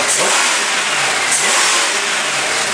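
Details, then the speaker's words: Mid-mileage 2003 Chevy 6.0 L LS engine from a burned truck, running in a test cradle on a standalone harness with about 40 psi oil pressure and a check engine light on: two quick throttle snaps rise and fall cleanly without ticks, knocks or stumbles; healthy engine. "what we're really listening to is the engine nice and quiet give it a couple snaps ready"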